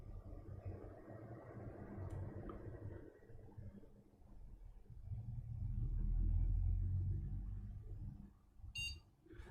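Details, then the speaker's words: Old AMD FX desktop with GTX 550 Ti, drives disconnected, repeat power-on test: fan rumble spins up then one short high beep, passes POST normally again; fault traced to a bad power supply. "it post it again and we'll give it the the traditional three times power off power on and I posted again yeah it's just a bad power supply"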